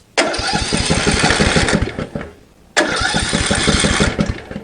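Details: Greenfield ride-on mower, random test spark plug fitted: two bursts of steady cranking, about three to four compressions a second, with no firing; no spark, faulty seat safety switch kill circuit.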